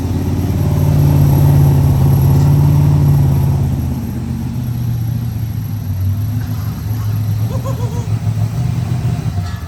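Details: BMW E30 with an LS3 V8 swap, started at the speedshop: a deep, even V8 burble with a small blip, then it settles into a steady, lumpy idle; it starts and runs fine.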